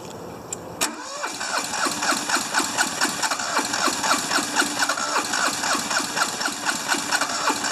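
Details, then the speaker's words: Hinomoto diesel tractor, once stuck, cold start at about 40s °F with glow plugs fed by a jumper wire: long cranking chatter, then a rough, uneven clatter at about two beats a second. Hard cold start; owner suspects nasty injectors, compression unknown. "i think it will crank this time oh we got it maybe not trying not to give it so much throttle again"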